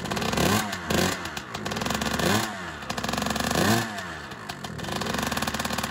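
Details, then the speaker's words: Honda CR125 two-stroke, first start after cylinder rebore/replating, new Wiseco Pro Lite piston and new head, revs up and down with a light uneven tick over the exhaust; owner suspects big end bearing, unconfirmed. "sounds weird is that hear that tick [Laughter] so it started up but it's making a little bit of a noise i don't particularly like maybe a big end bearing"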